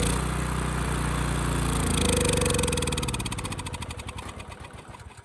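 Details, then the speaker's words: Ridgid generator with Yamaha MZ360 engine, about 10 years old, unused about 4 years, after starting fluid: catches, runs unevenly and fast, then stutters down; throttle sticking, possibly running lean. "Okay, the throttle is sticking a bit, and it also might be running a bit lean."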